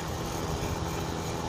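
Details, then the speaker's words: Repaired free space heater on highest setting, 1500 W, heat working: steady even whooshing rush with no scraping, ticking or wobble, fan spinning freely; normal fan running. "it's working fans going good there we go heat's working great it's on the highest temperature 1500 nice and warm you can hear that fan let's listen to it a little close"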